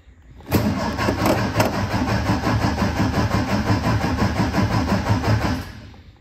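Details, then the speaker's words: 1957 MG MGA roadster, stored many years, first start attempt with choke out and fuel pump working: steady cranking about three turns a second for five seconds, no firing; no spark suspected. Cranks but no start. "but I'm thinking we don't have any Spark"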